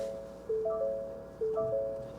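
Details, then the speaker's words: 2022 Ford Maverick Hybrid, 43,600 miles, vehicle powered on: a soft two-tone chime repeats roughly every second over a quiet cabin; cross traffic system fault warning. "hood is a jar I wanted to open it there we go okay cross traffic system fault can you hear it"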